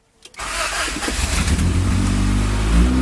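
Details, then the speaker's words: 1994–1997 Honda Accord after automatic-to-manual conversion, first start after cranking with ECU unplugged until oil light went off; quick crank, catches cleanly into steady even idle, no misses, no error codes or check lights; normal engine start. "that's what's up but man that sounds good not bad no check lights yet"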